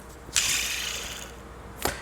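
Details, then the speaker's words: Toyota 2AR-FE 2.5 L belt tensioner with a plastic pulley, removed and spun by hand. It gives two quick dry, gritty whirrs from a rough bearing, so the tensioner, known to be noisy, is being replaced. "It's a simple tensioner is notorious to make noise. I'll show you that noise."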